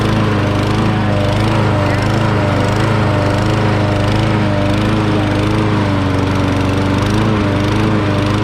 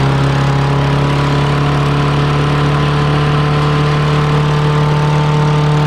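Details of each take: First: Murray 20-inch self-propelled mower with 6 hp Briggs & Stratton engine, throttle working after a gummed-up carburettor throttle linkage was freed, running for the first time: runs steadily with a slight surging rise and fall in speed. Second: Murray 6HP mower pulled from the trash, started after freeing a tight motor, smoking with water in the muffler: steady single-cylinder drone that doesn't respond to throttle; governor problem suspected.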